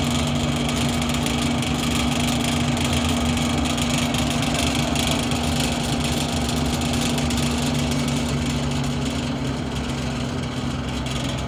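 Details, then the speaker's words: Vintage Manning Bowman model 3016 box fan on full speed: a constant buzzing hum with an uneven, loose rattle over it, and the fan moves itself around. Owner suspects the motor bearings were put back together wrong; not confirmed. "but on full speed this thing uh rattles quite a bit makes a lot of noise and kind of moves itself around so i'll show you that"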